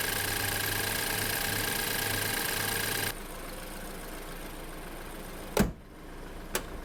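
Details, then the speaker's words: 2013 BMW F10 528i, N20 four-cylinder turbo, after a turbo cartridge rebuild and wastegate adjustment to fix constant wastegate rattle and boost codes: steady, even hum with no metallic rattle, then settles quieter; boost steady, normal running. "And the car right now is working great. The wis doesn't rattle anymore. The boost is steady."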